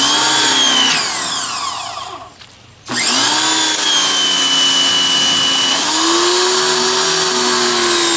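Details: Greenworks 2100 PSI electric pressure washer, new, first use: steady high motor whine sags, cuts out briefly (motor shuts off when not spraying), then spins back up evenly; quieter than gas, running normally.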